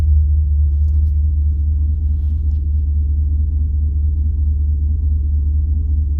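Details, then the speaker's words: Turbo LS V8 truck, stock cam, HP Tuners tune from stock file, at operating temperature after idle adjustments: low even rumble, steady beat, no misses or surges, smooth normal idle. "i did raise the idle up a little bit um it's stock cam though so it look it does like to idle around 600 and it's fine"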